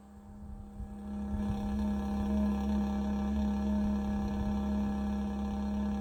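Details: Bison hand water pump, mostly in colder weather below 50°F: low, steady groaning hum swells in after a quiet moment following pumping, as water drains at the freeze line drain hole; cause unknown.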